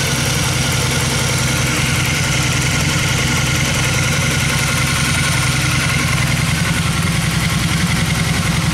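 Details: 2002 Honda Magna, already warm, no choke, in neutral, after carb rebuild and cleaning with new fuel filter and line: smooth, even idle with steady low beat, no misses, pops or surging; carbs running well, engine healthy.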